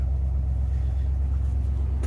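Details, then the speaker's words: 1992 Ford Bronco 5.0 302 V8 after harmonic balancer and water pump replacement (old balancer caused rough shaking idle): deep, even low rumble, steady beat, no stumble or shake; smooth normal idle. "smooth as a baby's rear end look at that no shaking no hesitation smooth idle everything's nice and lined up"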